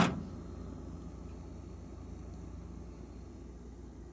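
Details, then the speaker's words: Frigidaire refrigerator (R600 refrigerant) that would not run, just after the timer repair and power-up: quiet, steady low compressor hum, no clicking, rattling or cycling off, running normally. "Then we're going to be turning on the unit. It is turned on. And as soon as we plug it in, you'll hear the compressor."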